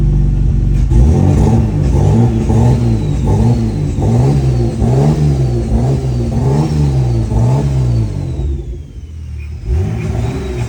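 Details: BMW E46 ZHP turbo with freshly rebuilt forged M52 (new bearings, rings, forged internals, cams), first start on base map: catches, even idle, smooth rises and falls through revs, no knocks or misses; healthy.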